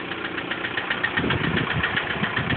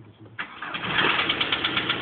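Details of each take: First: 1999 VW Golf TDI idling out of gear: light, rapid, regular ticking keeping pace with the engine over a steady diesel idle. A noisy tappet. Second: 1999 VW Golf TDI diesel, cold start after sitting: starter turns briefly, catches first time and settles into steady even clatter; clean normal cold start.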